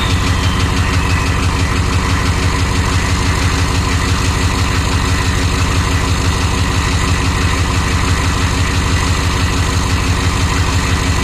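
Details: 1993 Chevy dually 6.5L turbo diesel 4x4, smoky startup without block heater, steady low idle: heavy clatter with a regular knock about three per second; engine knock of unclear source.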